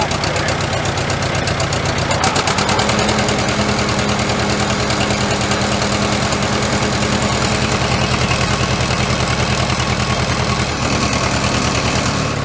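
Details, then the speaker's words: Reassembled McCormick Super W6 four-cylinder tractor before an antique tractor pull, with the fan hitting something: steady low chuffing idle that stumbles now and then; sounds choppy, suspected not firing on all four cylinders. "I want to see if it's hitting on all four cylinders because it sounds a little choppy doesn't it"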